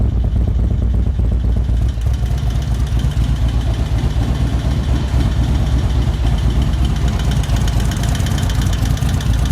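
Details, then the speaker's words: 2024 Indian Roadmaster ThunderStroke 116 with a newly installed Lloydz 585 cam, before ECU flash and not yet warm: loud lumpy V-twin idle with quick light valvetrain clacking, from a bled-down lifter that should quiet at operating temperature. "Train is noisy. I don't remember my valve train being that noisy when I put my 585s in, but then again, my exhaust is so loud you probably don't hear it. But there's some clackety going on here"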